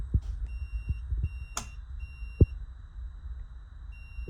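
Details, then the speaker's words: 2009 Zero X electric dirt bike, fully charged after an overnight charge: faint high BMS beeps in short repeating bursts over low thumps. It acts like a low-voltage blink code though voltage is fine; the cause was found inside the battery. "So, I let it charge overnight. It's still making the beeping sound coming from the BMS. It's fully charged now."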